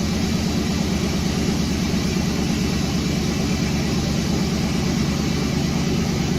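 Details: 1991 Buick Roadmaster wagon after fuel pump replacement, with fuses checked and a new ignition control module: steady, even low rumble with no misses, knocks or stumbles; engine settled and running smoothly.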